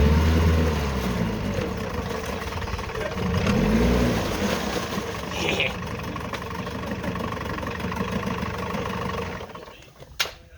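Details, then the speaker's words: Two-stroke outboard motor on oil-gas mix, started at full throttle, now idling normally: smooth regular idle pulse at steady low speed tapering off at the end. "And now [Applause] now it runs just wonderfully."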